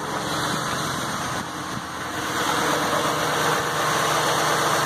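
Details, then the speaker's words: Ford F550 6.8 V10 after repair (misfire was one fouled plug), coils, injectors and MAF reconnected, alternator/water pump belt off, final test before buttoning up. Steady, even idle, smooth low hum, no stumble or miss: "smooth as glass." "There you go, fellas. Smooth as glass, the way it should be."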